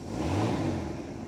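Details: 1973 Cobalt boat with a 165 hp Mercruiser inboard, at fire-up: a steady low rumble with an even beat and no knocks or misses; it settles into a healthy idle.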